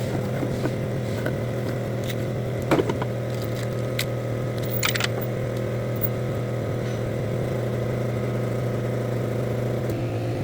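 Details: Chevrolet Lumina after water pump replacement: steady, even idle with a low hum and no whistle or squeal from the pump.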